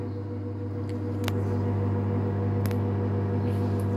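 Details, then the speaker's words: Samsung digital inverter Eco Bubble 8/6 kg washer-dryer in spin-only mode with about 10 minutes left, the speed still rising: a smooth, steady, low hum with no knocking, scraping or rattling; normal spin cycle. "Now it's increasing. Now only the 10 minutes remaining. You can hear the noise."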